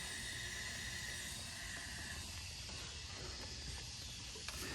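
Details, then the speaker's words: BMW F10 N55 leak-down test on a cold engine, showing roughly 5% leakage. A faint, steady hiss is heard at the crankcase as a small amount of test air escapes past the piston rings. "so the first place i'm going to check is a crank case because that's where i expect it this is a cold motor and i don't know if you can hear that"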